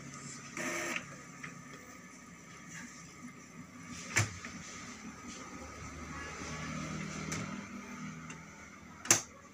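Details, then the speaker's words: Epson L3110/L3150 ink-tank printer powering back on after an ink pad counter reset and power cycle: soft motor whirr with sharp carriage clicks, no grinding or stalling, and the ink and paper blinking cleared, so the startup is normal. "Oke, setelah mati kita coba hidupkan kembali. Oke, sekarang printer sudah bergerak."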